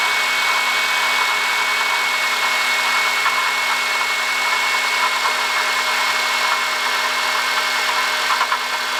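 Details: 2005 Honda Odyssey, 268,167 km: steady high whine and whir over the running engine, constant; worn water pump bearing, noise gone after replacing water pump, thermostat, thermo switch and coolant.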